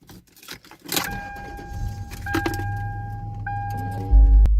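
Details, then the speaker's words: 2002 Toyota 4Runner Sport SR5, V6, 4WD, about 196,000 miles: keys jangle and a door chime sounds, then a brief crank and a clean catch into a steady, even idle with no misfire; a normal cold start. "So you can see this thing does not misfire at all. It's, you know, starting up at the right limit it's supposed to be at."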